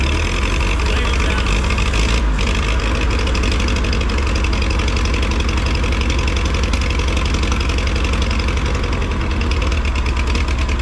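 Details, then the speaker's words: Massey Harris 30 tractor, out of gear, brake on, started with spray: loud, uneven heavy thumping, smoking like a steam locomotive; rough running from oil in the cylinders, from penetrant sprayed during cleanup, burning off. "There's a lot of oil in the cylinders Dude, still. you just gotta burn that shit out."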